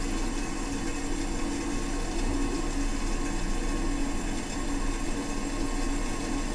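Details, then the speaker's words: Toilet fill completing during tank refill: loud steady rushing roar with sustained low hum; noisy since installed and now much worse, intake water (fill) valve suspected, to be replaced. "so check this out as the fill completes itself here it's coming up shortly everybody buckle in down get ready for blast-off here we go"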